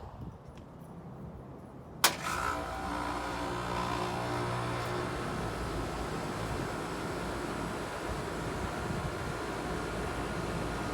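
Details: 2016/17 Rheem 2.5-ton dual-zone central AC condenser on first start-up of the cooling season: contactor clunk, then compressor and fan settle into a steady even hum with no rattles or grinding; healthy start-up.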